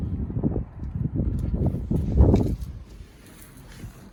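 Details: Porsche Boxster hardly running: uneven, lumpy low thumping with irregular beats that stumbles and fades out; rough idle, owner suspects it is running on only 3 cylinders.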